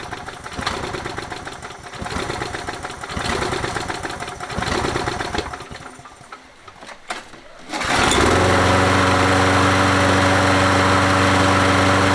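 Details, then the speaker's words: Toro 20789 mower, Briggs & Stratton Intek engine with hot-restart trouble: rhythmic cranking, backfire pops, then catches and runs steady after priming 4–5 times. "T'entends les retours de flamme et tout ça quand on essaye de démarrer. J'ai essayé de réamorcer 4 fois, 5 fois on va dire le carbu. Si ça fait rien d'autre, on va regarder le jeu aux soupapes."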